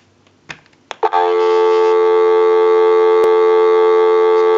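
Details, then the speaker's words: Western Electric Princess desk telephone after repair, final checkout via amplified pickup with line out to call a time-and-temperature number; couple of clicks, then steady clean even dial tone without wavering or crackle; normal dial tone. "That'll give us a line out, totally take the analyzer out of the situation, and we'll call a time and temp number. Go ahead and give you some dial tone."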